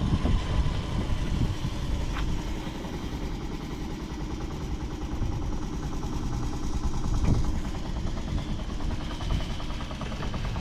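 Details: Vintage Honda Jorcub (AF53-1000) scooter running test. A quiet, steady putter at idle with soft even firing and no ticking, rattles or knocks. No abnormal engine noise; normal idle.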